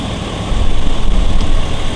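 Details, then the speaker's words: 2001 GMC Yukon XL V8 after knock sensor replacement, cleaning of the valley and new gaskets: deep, steady low rumble with an even beat and no knock or tick; idles smoothly, much better than before. "okay so back together let's see what it sounds like all right much better"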